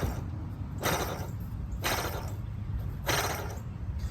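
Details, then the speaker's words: Dry, gritty whooshes as the tensioner pulley is spun by hand with the belt removed on a 2003 Chevy Suburban; the idler pulley is quiet, and the worn tensioner bearing was causing a squeal. "definitely does not sound good so also a good time to check out your belt"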